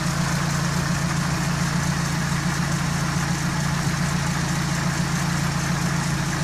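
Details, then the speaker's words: GAZelle with a ZMZ 405 engine idling after repair of a knock with a non-standard cause; the hydraulic lifters had checked fine and the timing sprockets were set to ideal phase. Even low hum with no knocks or ticks; runs clean after the repair. "теперь у меня жужжит чистенько чётенько без всяких всяких"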